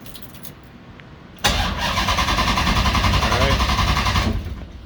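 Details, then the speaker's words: 6.1 HEMI V8 swap in a 1970 Coronet: starter turns the engine briskly and evenly for about three seconds but it never fires; ECU shows a red crank-sensor light. Crank no-start. "we got nothing and that was a crank sensor again huh so i threw us a red light here on the crank sensor yeah trying one more time"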